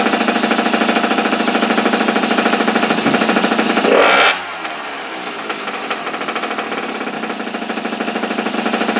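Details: Small single-cylinder engine from an abandoned superbike barn find, started with choke on after the spark plug gap was reset. Rapid, even popping, a short rev, then a steady idle; it runs fine.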